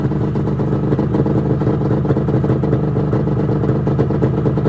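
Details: 1996 Arctic Cat ZRT 600 two-stroke snowmobile, cold start after fuel pump rebuild (Vertex kit), tilted on tripod: crisp even buzz pulling up cleanly through several throttle rips without stumbling or misfire; normal running.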